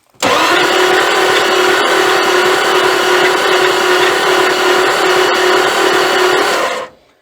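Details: 1979 Dodge D300 one-ton truck sat 20+ years, valve cover off; fast, even cranking with no compression-stroke slowing, valves all moving; no compression, cause not confirmed.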